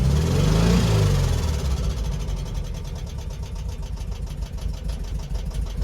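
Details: 1972 VW Beetle parked seven months, started on a brand-new battery: after a rough start it settles into an even, busy idle with light rapid ticking, suggesting tappets needing adjustment. Cause suspected, not confirmed.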